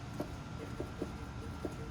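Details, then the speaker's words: Chevrolet Onix/Prisma-type car, exhaust shaken by hand: dull metallic knocks, about four in two seconds; the exhaust hanger rubber's mounting hole is stretched, letting the pipe hit, the source of a metal-on-metal clunk felt as suspension noise on rough roads. "então a borracha isso essa folga esse buraco alargada bosta fica batendo aqui e fazendo um barulhinho você escuta bem baixinho"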